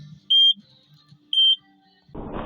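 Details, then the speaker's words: Takeuchi TL12V2 at -30°C after additive treatment; two sharp high beeps a second apart, then diesel rumble returns: still throwing SPN 1239 FMI 1 high-pressure fuel leak code; owner suspects gelled summer diesel. "well it's still throwing that same code but uh I guess luckily for me I'm not really in a hurry"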